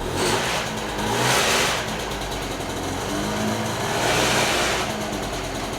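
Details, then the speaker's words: Piaggio Ciao two-stroke moped being revived, on a lift with no battery, first start after clutch assembly refit: buzz swells and falls with blips, plus a coarse rattle that is just vibration into the lift. Engine itself running normally. "What is that? Oh. Oh, that noise is I was like, what the heck is that? That's just the vibration into the lift."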